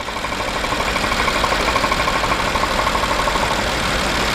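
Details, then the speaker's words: 2009 BMW 750Li N63 V8 idles with a rhythmic puffing pulse, cylinder 7 misfiring even after new parts; pressure is felt at the crankcase, and a major cylinder pressure leak into the crankcase is suspected. "it could be a major compressional league major pressure cylinder pressure leak he goes to the crankcase and that's the reason why you do you see this and if I put my hung here I can feel the pressure"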